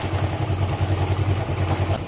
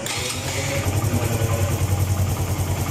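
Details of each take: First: Suzuki GN125 single-cylinder motorcycle idling before cam chain tensioning (tensioner not fully automatic): quick even metallic clatter over the low thump, a slack timing cam chain rattling. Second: Suzuki GN125 motorcycle after tensioning the cam chain (timing chain) tensioner: steady even single-cylinder putter at idle, about 3.5 beats a second, no ticking or rattle from the top end.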